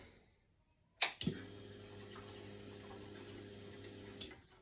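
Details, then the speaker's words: 2011 Yamaha FZ6R after fuel pump replacement for a no-prime fault, tank refitted with fresh gasoline: click at key-on then about three seconds of steady low hum cutting off cleanly; pump now priming normally. "so let's see if you can hear the prime foreign again one more time a prime so it's gonna start one more time"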